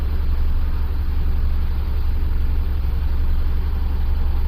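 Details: 2008 Buick Lucerne CXL 3.8L FWD, code P0300, live misfire count on cylinders 3 and 6, hard starting and violent shaking: deep uneven loping idle; mechanic suspects the ignition coil shared by cylinders 3 and 6, unconfirmed.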